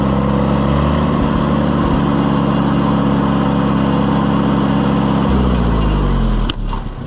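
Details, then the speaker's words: Oliver 550 tractor during tune-up, rain cap fitted: lumpy low idle, then one sharp exhaust pop as revs drop; suspected still burning carbon out, idle thought set too low. "Whoa. Little backfire action. [Music] It's still going to be burning that carbon out of there for a while, I would say."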